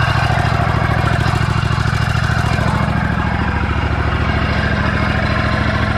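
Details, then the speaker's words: Scag V-Ride mower, deck off, with clutch removed: engine runs steady but the extra bearing-like noise remains, so clutch ruled out; owner suspects an engine bearing or the pulley. "so noise is still there so what might be fine for now I mean I know it's probably old but the noise is still there so not the clutch so it could be despairing you know the engine bearing could be just even this pulley"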